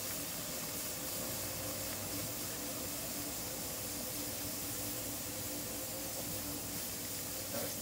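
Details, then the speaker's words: Pressure canner processing home-canned corn, heating up while waiting for the pressure valve to pop: soft, even hiss of steam venting steadily with no sputter or whistle; normal venting. "it kind of fascinates me a little bit of steam coming out of that as you can see it's kind of rising a little bit and that's perfectly normal"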